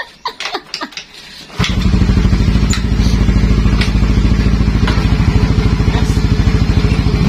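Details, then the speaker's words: Motorcycle with 59 mm bore kit, four-year-old battery reading 12.48 V dropping to 10 V when cranking: few short sluggish cranking bursts before it catches and settles to a steady thump; battery needs replacing. "Pero pag ini-start mo siya ayun oh. Nawawala na talaga. Nababa siya sa 10. Ibig sabihin kailangan mo na talaga siyang magpalit ng battery."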